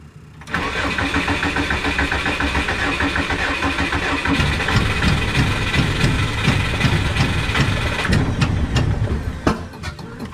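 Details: Subaru with the engine being tuned by adjusting its BE table from a laptop: steady starter cranking for ten seconds with ragged, uneven firing that tries to catch but never runs. Cranks but won't start; cause not confirmed.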